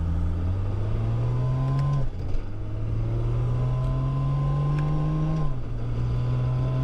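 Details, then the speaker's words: 1000 hp single-turbo BMW E90 335 with a DCT conversion, CanTCU controller and Haltech ECU: the idle drone slowly climbs in pitch, then drops sharply about every three seconds; the drive-by-wire throttle is hunting to hold idle. "yeah that drive by wire trying to keep it"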